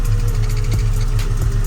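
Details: Mustang V8 at idle: faint, quick repeating chirp over the steady rumble, seeming to come from the clutch release side; owner suspects too much play there, cause unconfirmed.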